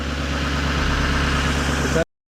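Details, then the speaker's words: Chevy Silverado 6.6 Duramax diesel after fuel filter replacement: steady, even diesel clatter at idle with smooth low rumble and no knocks or misses; engine running healthy. "Everything sounds and looks good, y'all."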